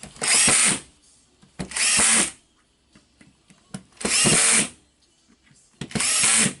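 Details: Makita BHP453 drill after repair of the gear assembly spring: four short, even bursts of smooth, high motor whir that spin up and stop cleanly; running normally.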